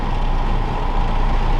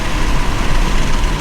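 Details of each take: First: MK5 Toyota Supra, windows down at about 54 mph, before fitting Armaspeed Windblock side mirrors: deep throbbing low rumble over steady road roar, bass-like sound waves reverberating badly in the cabin; wind buffeting, worst around 50–55 mph. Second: MK5 Toyota Supra with windows down at around 70 mph after fitting Armaspeed Windblock side mirrors: steady smooth low rush of wind and road with no throbbing; wind no longer enters the interior, normal wind noise, buffeting gone.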